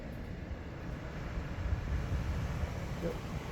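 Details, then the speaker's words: 2017 Dodge Grand Caravan after rear HVAC box replacement and successful recalibration, system on: even, steady low rushing airflow, no ticking, squeal or rattle; rear blower running properly. "Everything's on. It's working properly. I can hear it working."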